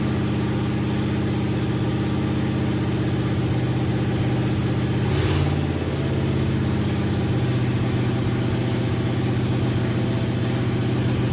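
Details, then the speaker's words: "Bear" 9C1 V8 first run, only Y-pipe, no exhaust: loud fast, slightly uneven idle with one throttle blip; high idle blamed on uncapped vacuum lines, carburetor needs tweak. "we just need to tweak that Carver a little bit I need to cap off a couple vacuum lines that's why the the high idle and stuff"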